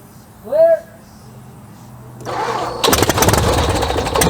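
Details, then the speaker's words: Wittman Tailwind airplane engine on a test run after engine work: the starter whirs without catching at first, then cranks and fires into a rough, uneven start. The starter gear is not engaging the big gear, and the starter gear teeth were found starting to get chewed up. "so i did the test runs yesterday and both times i had trouble getting the starter to engage"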